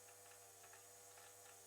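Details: KTM RC 390 fuel system with MaxxECU-controlled pump and mechanical regulator holding about 38–39 psi at 50% duty during priming: faint steady electric hum with a light flutter about every half second; suspected air purging from the system.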